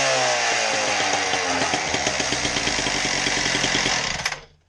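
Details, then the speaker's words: Husqvarna K770 power cutter, two-stroke, final test run after no-start repair and reassembly: revs crisp and even with steady firing pulses, then shuts off cleanly; running properly. "we'll get her put back together and do one final test run"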